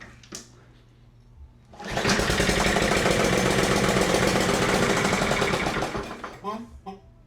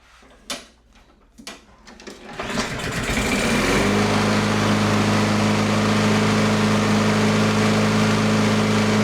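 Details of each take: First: Neglected Toro Recycler mower, Briggs & Stratton 163cc, not yet bolted down: it starts and runs a few seconds at steady speed, then fades and dies. The cause is intermittent spark from a corroded spark plug boot terminal; the owner first suspected the carburetor. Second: Toro Recycler mower with Briggs & Stratton 163cc engine, after repairs for oil leak, knocking and hard starting: a few cord pulls, then it starts readily and runs steady and even, knocking gone.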